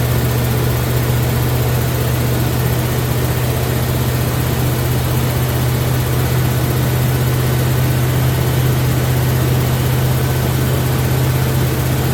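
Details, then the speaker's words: Impala engine, first start, held at 2,270 rpm for cam break-in: steady, loud, even drone with no pitch change or obvious miss; fast idle, timing noted as slightly off. "So, right now we got it at 2270. I'm going to let it break in."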